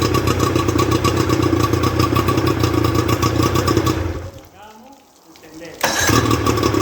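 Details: Rebuilt Johnson 50 HP two-stroke outboard on a Taylor 5.25 m boat, run on flushing water with thermostat fitted: quick steady buzzing beat that dips briefly and picks straight back up, firing cleanly with no misfire; normal.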